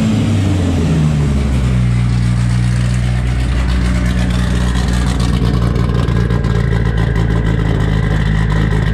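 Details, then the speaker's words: Freshly built 500 hp 2.3 engine after first start, running on an 87 and Q16 fuel mix, with oil pressure: steady even low drone with a brief rev blip, no knocks or rattles; idles smoothly, though a fitting is leaking coolant. "it's got oil pressure still it runs pretty smooth"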